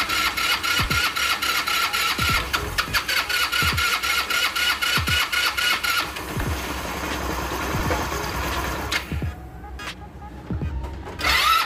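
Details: Customer's scooter CVT, cover off, a part found fitted backwards: sharp metallic ticks about four a second over a buzzing engine, louder on throttle; noise suspected from the centrifugal or clutch.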